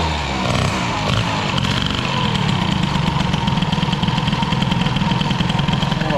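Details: Peugeot 103 with Airsal 65 Piaggio-scooter cylinder, now warm after mixture screw closed; held idle cold, but warm mixture enriches; fast busy putter never settling to slow tick-over, idle speed set far too high.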